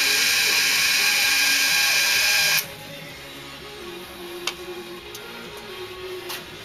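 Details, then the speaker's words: Electric fuel pump whining steadily for a few seconds, then stopping, as it strains to suck fuel up from a jug on the floor rather than gravity-fed from the bench; fuel filter fitting retightened after earlier leak. "I got the fuel on the floor I should have had to feel on the on top of the bench because I should have a better gravity feet you hear it in the pump when it's trying to suck the fuel up out of the out of the jug"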